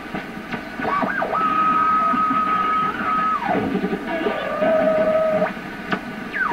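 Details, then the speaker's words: Pye 39HC shortwave broadcast receiver at full voltage after electrolytic capacitor replacement and other component changes: whistling tones sweep while tuning, high then lower pitch over hiss; heterodyne whistle, something not right on this band, hiss suspected non-atmospheric. "Now let's see how this one I get a heterodyne with it."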